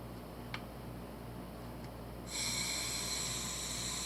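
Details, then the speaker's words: Sherwood scuba second-stage regulator with air applied: steady high hiss of free-flow leak, out of adjustment; fixed by turning the internal adjustment screw until it stops. "She's out of adjustment. She's leaking."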